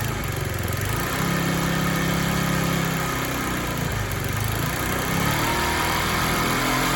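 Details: Free discarded TaoTao 50 scooter, small two-stroke, revived with throttle linkage and carburetor not yet dialed in: runs unevenly, rising and sagging with throttle blips, won't hold idle on its own.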